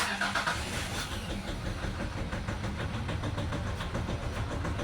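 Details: 2019 Nissan Terra diesel, automatic, cranks but won't run, fault codes present, suspected injector problem, diesel reaching it: steady rhythmic cranking chug for five seconds without catching; crank, no-start.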